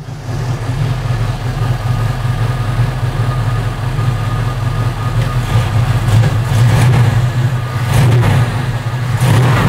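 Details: V8-swapped Chevy S10 started after fitting a Dorman A/C bypass pulley (part 34152) in place of the A/C compressor: deep steady V8 rumble with light throttle blips, smooth with no knocks or ticks; seems okay.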